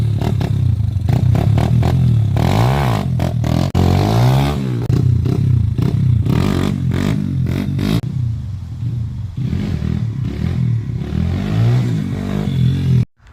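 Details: 1999 Honda XR100 after fixing a dead clutch caused by a loose actuator in the clutch cover, lever adjusted; crisp revs climbing and dropping cleanly under throttle, no slipping or clatter: engine and clutch healthy.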